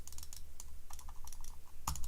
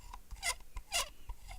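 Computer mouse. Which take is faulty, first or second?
second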